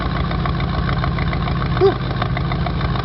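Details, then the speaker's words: 1986 Oldsmobile Cutlass Supreme, 305ci Chevrolet V8, cold start after sitting 60+ days: deep lumpy idle that stumbles as a cylinder cuts in and out, intermittent misfire; owner suspects bad plug wire or fouled plug, no black smoke. "So it definitely has a dead cylinder. It keeps cutting in and out."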